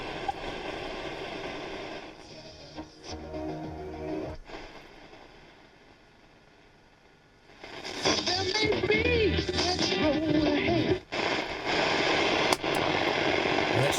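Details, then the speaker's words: Transistor radio under logical fault-finding, still in its case with no components changed: music and voice from the signal generator come through clearly and steadily with no crackle or hum on long wave; normal reception. "so we can hear it here the signal generator at least so there we are one fault found"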